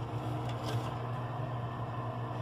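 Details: Continental RFCT455 frost-free duplex refrigerator, after freeing the ice-scraped evaporator fan: steady low hum and even whir, no scraping; fan spins freely. Ice buildup traced to control board not defrosting, fixed by resoldering and cleaning relay contacts.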